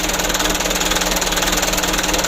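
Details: Mitsubishi Canter diesel after injection pump plunger replacement: fast clattery idle with a pulsing beat rising and falling, not settled; plunger adjustment kept small so idle can be found. Rough idle still needs evening out.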